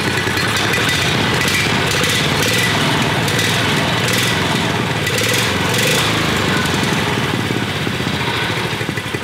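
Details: Subaru Robin 9 hp single-cylinder generator engine swapped into a Yerf Dog kart, with an aftermarket intake on a modified Predator adapter and the governor arm cut, on a first run, choke possibly off: brisk, even putter with no knocks or misses, running smoothly and fairly quietly.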